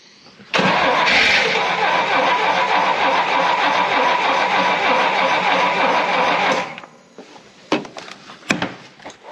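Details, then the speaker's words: Lemonhead engine after timing set slightly advanced for 6,000 ft altitude and bad under-dash wiring fixed: catches and runs about six seconds with an uneven, busy beat, then quits abruptly; runs longer, still won't stay running, some smoke seen. "damn it ran for a much longer time I suspect part of the reason we were having it not run was that bad wiring under the dash that's been out been fixed"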